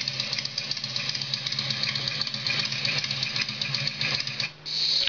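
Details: Harley Evolution Sportster, recorded about two years earlier when first acquired, just after an oil change and before it broke down: steady, even idle with a regular loping V-twin beat and no knocks or misses. Healthy.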